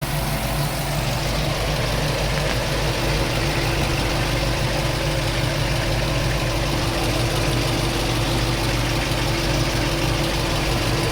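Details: LS-swapped Chevrolet K10 V8 at idle with a light fast tick; owner unsure whether it comes from the headers or the valvetrain.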